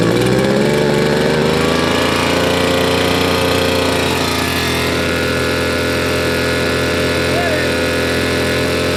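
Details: Old RedMax two-stroke leaf blower after carburetor cleaning, tank cleaning and fuel line replacement, run outside: steady buzz settling from higher rev to an even idle without stumbling; runs properly, shut-off works.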